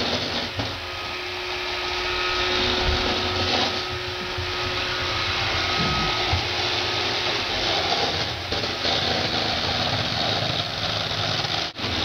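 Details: Roomba 560 robot vacuum running on hardwood floor: constant high-pitched whir with loose, irregular chatter on top, a loud rattle of unclear cause; quiet on carpet, and an earlier Roomba Discovery was quieter on the same floor; owner later fixed it.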